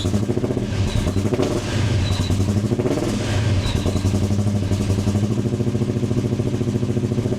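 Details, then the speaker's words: Modified Foxbody Mustang V8, first run on new custom stainless exhaust with oxygen sensor fitted, holes sealed, clamps tight: deep steady burbling idle, even pulses, no ticking, puffing or rattles; normal idle. "So now we're going to start it up for the first time. All the holes sealed up, all the clamps tight."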